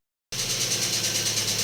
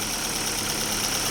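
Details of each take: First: Daewoo Lanos engine at idle with steady rapid metallic ticking that never fades, even after the owner replaced the hydraulic lifters; a fallen-out oil gallery plug cut oil pressure, starving the lifters. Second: Daewoo Lanos after a lifter-tick repair: a fallen oil-gallery plug had starved the hydraulic lifters of oil, so four rockers and all lifters were replaced. On first start after reassembly it holds a steady, even idle with a quiet valvetrain.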